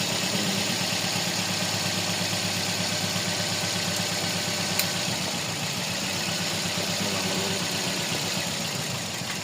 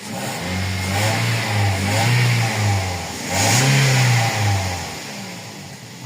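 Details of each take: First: Toyota Vios petrol engine with code P0354, cylinder 4 misfire at idle: uneven, loping stumble; ignition coil and injector 4 suspected. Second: Toyota Vios petrol engine after clearing P0354 cylinder 4 misfire codes (ignition coil/injector 4): smooth revs settling back to an even idle, no misfire.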